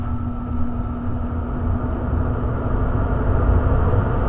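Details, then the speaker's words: Very old Day and Night gas furnace with a pilot light and no draft inducer, running after gas ignition. The blower fan kicks on with a steady low rumble and constant hum, no knocks or scraping. The blower is running healthy. "so the gas ignited and be soon the blower fan is going to kick on and start there goes the blower fan"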